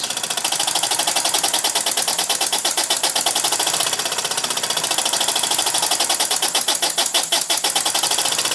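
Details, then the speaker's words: Model steam engine with newly mounted flyball governor, loaded by finger friction: quick, crisp exhaust chuffs about eight or nine a second, steady and even as the governor holds speed; normal governed running under load. "the difference into the world in the world on how that Governor is reacting to the load of my fingers again I don't know how much of a load is that but I can feel it"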